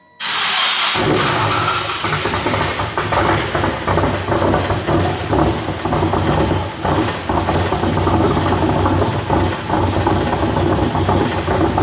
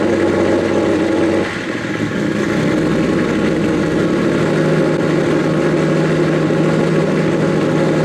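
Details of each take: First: Nissan S15 started up after wiring work, running as badly as before, blowing heavy smoke. Rough, uneven, stumbling and popping with no steady beat: misfire traced to a faulty MAP sensor connection. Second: Nissan S15 started after the issue was resolved: fires right up with no hesitation and holds a steady, even idle with a brief rev blip, running normally; some exhaust leaks are still audible under the car.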